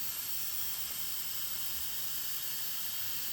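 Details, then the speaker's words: Rebuilt 426 Gen 2 Hemi crate engine on a run stand, engine off, crankcase pressurized to about 2 psi: steady airy hiss of escaping air; soapy water shows a bubbling leak at one spot needing more RTV, other side and seal dry. "But two soapy water. Everybody see that bubble? Other side is dry as a bone."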